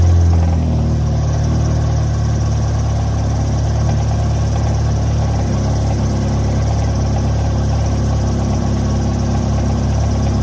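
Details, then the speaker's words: Mazda Miata, automatic, cold weather, just after installing a crank saver (bolt not torqued): engine catches with a brief flare, then settles into a steady, even four-cylinder idle without knocks or misses; runs fine. "all right so um it starts and it runs perfectly fine"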